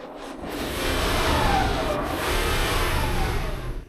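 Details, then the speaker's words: Mercedes E500 V8 with 250,000 miles, revved after the drive belt was refitted: revs rise and settle smoothly with no squeal or chirp. The earlier belt noise is gone, and the belt drive is normal. "Yeah, it's good. There's no more noise. That's one good thing done."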